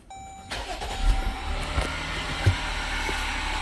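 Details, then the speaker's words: 2018 Jeep Grand Cherokee 3.6 V6, push-button start: cranks into idle with a steady whirring under the engine note, customer's underhood complaint; faulty water pump, found with screwdriver stethoscope, replaced. "All right, you hear that whirring? That's the water pump."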